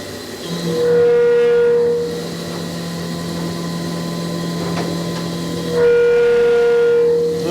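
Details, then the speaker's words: Flex CNC mill, 3/4 in four-flute carbide end mill with through-tool coolant milling 2" UNC holes in plate steel: loud ringing squeal bursts over cutting hum at corner transition moves; chatter. "bit of chatter in the corner making that transition move"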